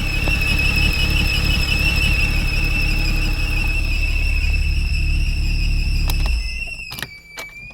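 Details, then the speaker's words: Porsche Boxster 987, engine warm (noise absent when cooled): a piercing high whistle over idle, fading at shutdown. It persists with the drive belt removed; intake suction still to be checked, engine itself doubted as the source. "So the noise still came back. So it's not the actual, I've got to check the intake suction as well, because that can create a noise as well."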